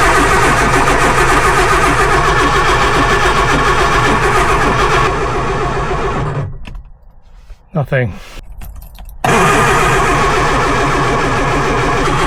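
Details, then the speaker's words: Lotus Elan, off the road three years, first start attempt: even, steady cranking about four beats a second for six seconds with good oil pressure, never catches; fuel light on, low fuel suspected. Crank no-start, cause unconfirmed. "nothing right let's put a bit more fuel in cuz the fuel light came on"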